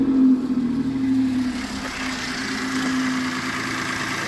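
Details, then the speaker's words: Citroen C1 small petrol engine started after an oil, oil filter and spark plug service, checking for leaks: steady, smooth idle with no misses or odd noises, sounding much better. "that sounds much better."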